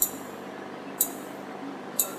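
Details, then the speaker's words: Illumina HiSeq sequencer reagent chiller (about 4 °C): sharp click about once a second over a steady fan hum; the condensation pump draining the reservoir to waste, normal daily sound. "the collected liquid is pumped out to waste via the condensation pump you will hear a clicking sound daily coming from your hi-c"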